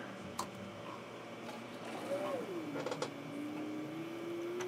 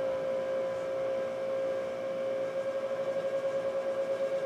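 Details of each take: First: Power Mac G5 Quad at first power-on with the side cover off, checked for coolant leaks: after clicks, a soft tone sweeps down then climbs as the fans and water-block pumps spin up; normal startup. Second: Power Mac G5 Quad tower, liquid-cooled, first power-on with side cover off: steady loud whirring, strong constant tone near 550 Hz, pulsing near the end, as cooling fans and water blocks spin up; cause of loudness not confirmed.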